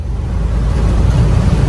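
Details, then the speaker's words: Mercedes Sprinter 3.0 V6 diesel (OM642) after an intake swirl motor control fix for no-power limp mode, cruising at 70 mph and 2,800–2,900 rpm: steady low drone with no surging, missing or knocking, no check engine light. "we're tooling down the highway at 70 in about 2,800 2,900 rpms and she's running smooth no check engine light no problems"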